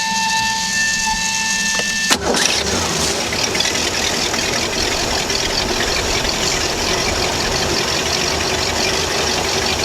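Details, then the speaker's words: Ski boat inboard on the trailer after replacing a failed Velvet Drive 1:1 transmission with a new ZF 1:1: engine cranks, catches within seconds and settles into an even, steady idle with no knocks or clunks; healthy. "Yeah, we're in good shape there. Everything's looking good."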